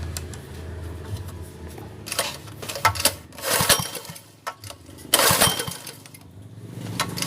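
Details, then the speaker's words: Honda GX160 water pump engine submerged overnight in a flood, cleaned and restarted, carburetor not yet tuned: uneven sputter with harsh, raspy exhaust bursts and loud pops; rough running from damaged muffler. "tapi jangan kaget ya karena kenalpotnya ini sebenarnya sudah tidak ada apa-apanya ini tidak lam sudah-sudah ini sudah rusak nanti suaranya kasar"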